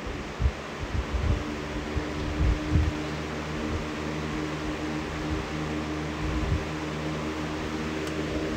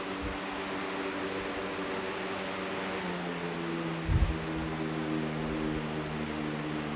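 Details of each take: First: Box fan at full power after swapping in a white blade: an even, steady whoosh with no wobble or thump. The balance is superb, it moves a lot of air and spin-down time is decent. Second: Box fan with a swapped replacement blade, running at full speed: a steady hum with a faint wobbling pulse, and the tone shifts when the speed changes. The fan blade is out of balance.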